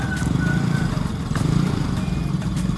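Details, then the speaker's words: Motorcycle that would not start, suspected of a dead spark plug, running right after the plug was repaired and refitted; small engine putters at idle with a low, steady beat and no misses or stumbles; normal stable idle. "ini dia guys mesinnya langsung hidup ya guys udah maunya lagi nih guys motor saya nih guys"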